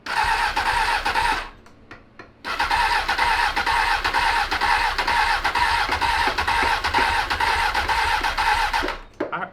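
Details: 2003 Honda 919 (919cc, liquid-cooled, fuel-injected) parked for years after it stopped running right, new battery fitted: two long starter bursts with rhythmic compression chug but it never fires; cranks without starting, fuel and spark still to be checked.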